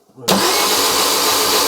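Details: Fiat Doblo van engine rebuilt after snapped timing chain and rockers replaced, new water pump, oil pressure gauge on block; steady even starter whirring with injectors removed, no firing pulses or compression; normal cranking.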